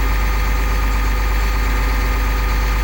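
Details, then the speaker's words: 2001 Cummins 8.3L ISC CAPS diesel in an RV, after replacing a faulty engine speed sensor, no codes: steady deep fast idle set at 1000 rpm via cruise control, no misses, knocks or hunting; normal idle. "let's go to a fast idle it's pretty cool turn the crews on hit the set puts it at a thousand RPM"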